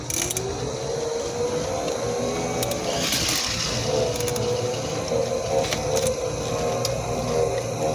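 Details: Mobility scooter bought new, about one month old: rough, gritty grinding under a wavering mid-pitched drive whine with occasional sharp clicks while moving; grinding noise while driving.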